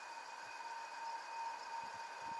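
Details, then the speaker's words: Air-conditioning/refrigeration fan motor with a failing bearing giving a steady metallic whirring, grinding squeal near 900 Hz from friction between moving parts; such noise is louder when cold and fades as heat expands tolerances. "this is the sound produced by a failing bearing the metallic whirring grinding or squeaking sound can be heard"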